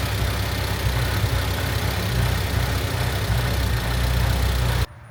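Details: Honda Civic EG Mugen hatchback four-cylinder after valve seals, timing belt and water pump replacement, idling not yet up to temperature while ignition timing is set to 16° with timing light: smooth, even idle, steady low rumble, no ticks or misses before it cuts off; normal.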